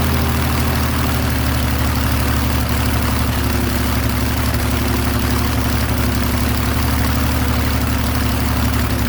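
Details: Airboat engine holding a steady fast idle around 1200 rpm (should be 450–800) that never drops to a slow lope.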